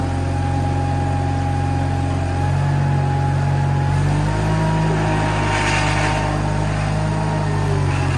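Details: Case 1816C skid steer, sat in a barn 10+ years, moving after clutch-engage lever thrown: steady even drone settling slightly lower under load as it moves off; normal running.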